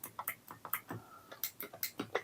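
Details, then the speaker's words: Zipstick joystick, worn unit still to be repaired: quick sharp microswitch clicks in each direction, the left switch sounding duller and flatter than the others; worn microswitch, to be replaced with used switches from a Cheetah Mach 1. "compared to the others. It's just a bit flat and just feels a little bit different."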